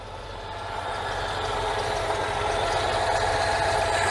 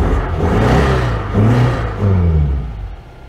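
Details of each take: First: 1992 Oltcit (Romanian, Citroen-derived) petrol engine, after work on the carburettor: runs with a steady, fairly even beat building slightly in level, no stall. Engine now running following the carb fix. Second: 1992 Oltcit petrol engine, fuel pump confirmed working: catches with short revving bursts on petrol poured in, then sags and fades; owner suspects a blockage in the carburettor.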